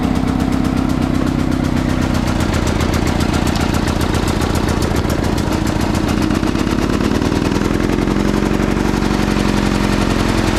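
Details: Free salvaged snow blower, started by push-button electric start with a jump pack on the battery: steady, even chugging with a quick regular beat for ten seconds, no stumbles or surging; healthy normal running.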